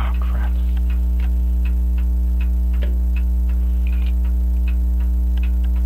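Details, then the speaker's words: French crystal regulator clock with an open escapement and jewel-like pallets, sold as non-running, recorded with a dumpster-found microphone: light ticks around three per second over a loud mains hum. Even after beat adjustment the tick-tock spacing is lopsided, slightly out of beat. "a little bit out of beat but I can work on that I don't know they said it was non running but I think it's gonna run now"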